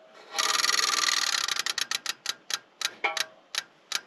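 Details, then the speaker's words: 1974 John Deere 350B bulldozer, key on with the fuel filter verified clear: the fuel pump's fast buzzing tick spaces out into slower clicks as line pressure builds, which is normal priming. "so you heard the fuel pump slow down because it's building up pressure and it's trying to pump and it can't because there's pressure in the lines"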